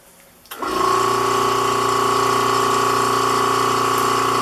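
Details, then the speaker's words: Vacuum pump on a vacuum-bagged composite motor tube: steady hum and whine, running without pause because the bag leaks; pressing on the leaks lengthens the time between pump cycles. "as you slowly plug the leaks you kind of know you're gaining by how much time there is in between periods of the vacuum being on so there's a leak over here where my left hand is as long as i'm pushing on it it doesn't leak or at least i can't hear it"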